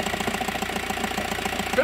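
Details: 2009 VW T5 diesel at cold idle: quick, even knock on every firing pulse, only when cold; dual-mass flywheel suspected, possibly near end stage, not yet confirmed.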